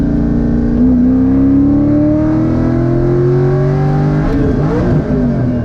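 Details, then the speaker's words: Loud V8 Corvette fitted with "Neighbor Hater" mufflers pulling with climbing pitch, then a sharp rattly break about a second after hitting a big bump; owner suspects an exhaust clamp popped, unconfirmed; car then stalled. "An exhaust clamp just probably popped and it made that noise cuz I hit a bump like a second before that and I think it popped."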